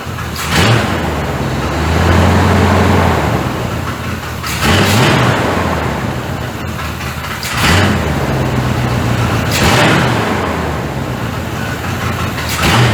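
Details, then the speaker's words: 1985 Chevrolet C30 diesel-to-gas swap, after spark plug wires were moved. Engine surges up and sags back every few seconds, never settling to idle, with heavy smoke; owner unsure of cause, lean idle possible. "We went from idling really, really good, revving up really, really good, to it won't idle."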